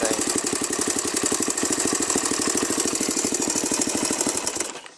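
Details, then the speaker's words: Honda XR200R single-cylinder at steady idle after a clutch-side rebuild: fast, sharp, rattly ticking rides over the single's rough beat. Engine ticking noise, a top-end tapping; the owner suspects the cam chain, not confirmed. "i don't know what's that noise in there it's gotta be the campaign"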